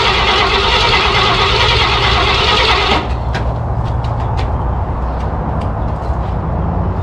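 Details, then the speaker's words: 1968 Ford F100 V8 unused for about 12 years, cold: starter churns about four beats a second for three seconds but it never catches because the fuel pump was off and the carburetor was not filling; a fuel-starved crank with no start. "okay I don't have the fuel pump off we're not getting filled okay that's why I ran for a second try it now give it a couple pumps fuel pump was off"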